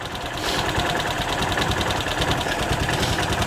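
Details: Bennche 500 with knocking and smoking, after clutch, fuel pump, throttle body and IAC motor work: uneven, lumpy idle with clatter; fuel pulse width near 4 ms against a 2–4 ms spec and 14.6 target AFR; ECU reset planned; cause unconfirmed.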